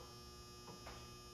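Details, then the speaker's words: Galaxian arcade cabinet during restoration, at power-on: steady low electrical mains hum at one pitch from the lower chassis, with a spark seen and monitor apparently not powered; cause not yet found. "that hum is that from down there it was doing that when I first turned this thing on"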